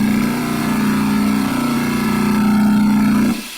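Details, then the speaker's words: 1940 Delta T5074 repulsion-induction motor from a table saw/jointer, first run after blowing dust out of darkened commutator: steady hum with rough uneven edge, rotates smoothly but sounds off; slight brush arcing, owner suspects loose dust. "there something doesn't sound quite right everything seems to rotate smoothly I like that there was a little arcing on that first time I turned it on maybe it's because I uh blew the dust around in there and there was some dust on there"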